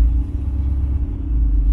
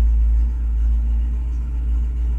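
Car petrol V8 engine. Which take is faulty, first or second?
first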